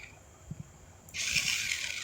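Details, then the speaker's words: RC off-road car that drove forward slowly and not in reverse, after resoldering a 16-pin chip, switch bypassed: faint clicks, then a high, hissy buzz of the motor spinning up fast, strong and steady; normal running. "Oke, alhamdulillah ya ternyata ee sudah ee normal kembali dan bisa kawan-kawan lihat ya. Ini putarannya sangat kencang sekali dan sangat kuat."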